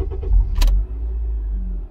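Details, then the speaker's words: 2003-2007 Honda Accord after replacing the faulty ignition switch: key clicks, the engine cranks and catches into a deep steady idle, with none of the whining noise heard during cranking before the repair. Normal start. "you see it doesn't make that that whining noise i'm saying so we're good"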